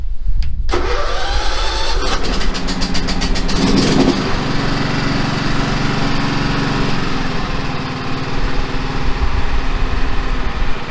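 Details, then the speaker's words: John Deere L110 automatic ride-on mower, about 606 hours, started with choke and parking brake on: brief cranking, then the engine catches cleanly and settles to a steady, even idle with no knocks or misses; engine sounds okay; transmission whine is the separate complaint. "the motor sounds okay can't really see that 606 hours on the hour meter"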